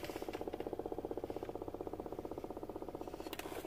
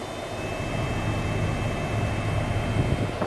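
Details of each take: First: 2007 Toyota Avalon blower motor, under the passenger-side glovebox, cutting in and out: a steady whirring hum with a rhythmic chirp about 2.5 times a second. Little air moves even on high, pointing to a failing blower motor that was replaced. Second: 2007 Toyota Avalon with new blower motor installed, engine running, AC on: steady even rush of air over the idle, no surging or hesitation; normal blower operation after replacement.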